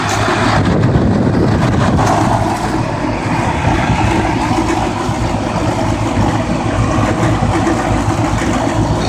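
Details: Outdoor heat pump condensing unit, likely an older Goodman, in a townhouse complex: steady, loud heavy compressor hum under a rough, rushing fan noise. Cause suspected, not confirmed.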